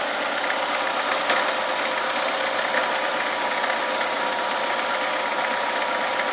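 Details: Chevrolet Niva engine at warm idle, coolant warming between 50 and 70 degrees: a light, quick tapping continues over a thin, even engine note; knocking from inside the engine, cause unknown.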